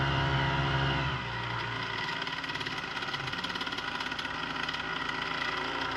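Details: Brand-new Hangkai 3.5 HP two-stroke outboard (30:1 premix) just after startup, in neutral: settles into a quick, fairly even buzzing beat with no knocks or misses. It is running normally.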